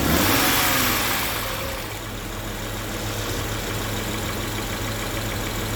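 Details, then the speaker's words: After fuel supply reconnected, the previously crank-no-start towed-in car catches quickly, flares, then settles into a steady even idle with no misses or knocks; normal start and idle. "Awesome, we're in good shape."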